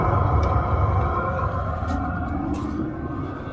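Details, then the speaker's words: 5 kW all-in-one 12 V diesel heater on pump diesel, heating a workshop, recorded standing right in front of it: steady even roar with low rumble, no knocks or rattles, quite noisy on full power; calms a lot at idle once target temperature is reached. Normal operation. "it is quite noisy on full chat um but it does quite down a hell of a lot when it reaches its idle once it reaches it reaches its target temperature it does calm down quite a lot"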